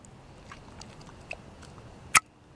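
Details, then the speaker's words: Secondary air switching valve for a 2006 Toyota Tundra (bad valve set codes P1441, P2440), tested off the truck: one sharp clunk as vacuum is released, the poppet snapping shut, the normal sound of a good valve. "So that's the sound your valve should make when you release the vacuum."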